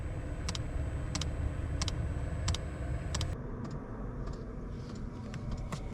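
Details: 5 kW diesel heater in a van, just after replacing the faulty temperature sensor that left it blowing cold air: steady low combustion roar with sharp even dosing pump ticks about twice a second; healthy and now blowing warm air.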